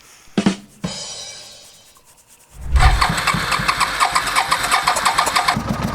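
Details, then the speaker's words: $750 auction motorcycle, a twin, after new spark plugs: cranks and catches into an uneven, stumbling idle with irregular pops. A vacuum leak leans it out. "listen you hear that that's a vacuum leak uh-huh"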